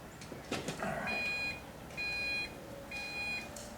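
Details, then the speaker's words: Airbag warning chime on a 1990 Mazda Miata after a gauge hood install: repeated high half-second chime pulses while the airbag light still blinks, because the warning bulb was simply pulled; the bulb must be removed or covered up rather than just pulled. "if you hear that noise that's what happens if you just pull the light you can't just pull the light you have to actually remove it or uh you have to actually cover it up"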